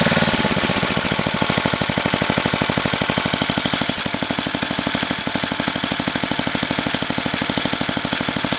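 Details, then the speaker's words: Craftsman 10 hp, 28-inch snowblower, freshly rebuilt with a carb kit and head gasket, first-pull cold start. Quick, even single-cylinder beat of about three pops a second, holding steady while still cold. Normal cold idle. "Let's go. You ready? Listen to that thing hum."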